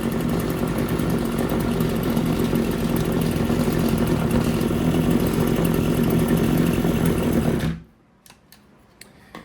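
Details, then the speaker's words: RedMax TRZ230S two-stroke string trimmer, idle being adjusted up: burbles at low slightly uneven idle then dies abruptly; idle set too low. "So what I'm trying to do is turn the idle up because it's obviously way too low."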